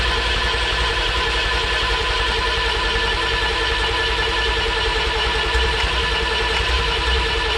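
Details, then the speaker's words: Original Renault 4CV engine from about 1949–52, with a weld-repaired cracked block, on its first start in about 70 years with ether: ragged, uneven firing over steady cranking. Compression sounds good and oil pressure shows, but it does not run on its own. "it liked it better when you had the throttle open [Music] i mean it sounds like there's compression as well"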